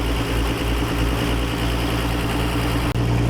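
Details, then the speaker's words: 1957 Dodge D500 1½-ton ex-military truck showing 52,000 miles, Sea Foam added, choke being opened as it warms up; the owner asks about a possible vacuum leak. A deep, steady, even idle with no knocks or misses: a normal warm idle. "i'm trying to open up the choke now see if he's warming up yeah got a vacuum leak anywhere it's getting warm that's pretty good"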